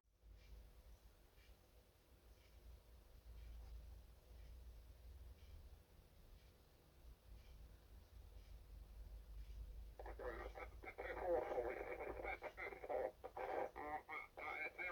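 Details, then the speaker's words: Record player with built-in speakers hooked to a stereo, no aerial; low hum with faint ticking, then thin tinny radio voices reading numbers, like air traffic control, break through the speakers; source unknown. "sounds like air traffic control or i don't think it was police but you can hear you can hear numbers"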